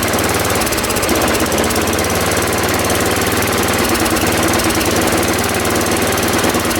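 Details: Ariens 824 snow blower, Tecumseh HMSK80 engine, after carburetor repair (jets cleaned, float bowl and gasket replaced; owner believes an air leak at the old gasket caused surging): low, even idle with no hunting or surging.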